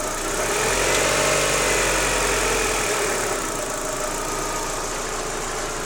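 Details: Daewoo Lanos 1.6 16V at idle: regular light knock about 3–4 per second from the timing belt and idlers; gone after replacing the timing belt and rollers, though the removed parts showed nothing suspicious.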